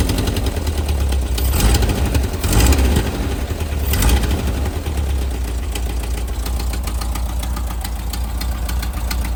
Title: Type 4 engine knock